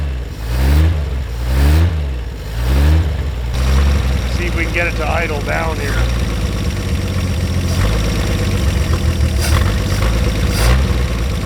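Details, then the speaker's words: 1950 Chevrolet Fleetline Deluxe six-cylinder, sitting for years, cold winter day: lazy throttle blips then smooth, even low idle with steady beat and no missing; healthy engine, normal idle. "look at that these sound great what a great sounding engine that's terrific"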